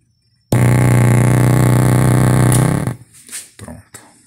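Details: Oneal powered speaker, before repair, at switch-on: a loud steady buzz for about two seconds with a strong burning smell; traced to a faulty 470 capacitor near the output chip.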